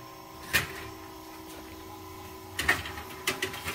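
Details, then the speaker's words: Rust-restored vintage GE Monitor Top refrigerator set to about medium, which has been able to freeze ice: a few sharp clicks and knocks, then a faint even hum as the compressor starts cleanly with no rattle or strain; normal startup. "so let's turn it on so we'll listen to the startup said i'm about medium this is the unit that runs so far and has been able to freeze ice"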